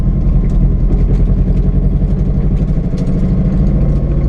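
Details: GTT on its first drive, with a deep idle that lumps and stumbles unevenly in a lopsided beat. Owner suspects a misfire with one cylinder not firing cleanly; not confirmed.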